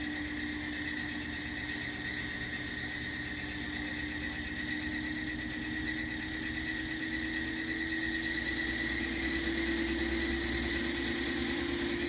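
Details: Samsung WF45R6100AW front-load washer, 18 months old, on Samsung WE402NW pedestal, high-speed spin at rinse: steady high squeal near the end rising slightly; repairman found loose pedestal rivets causing squeak and vibration, not fixed.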